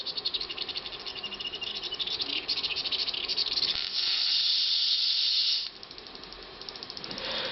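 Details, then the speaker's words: Jensen Model 25 electric model steam engine: after the boiler whistles, heat is shut off and the throttle opened to preheat the cylinder; steady hiss with fast, uneven sputter as steam condenses and condensate spits out; normal preheat. "And you can hear the steam condensing in the cylinder."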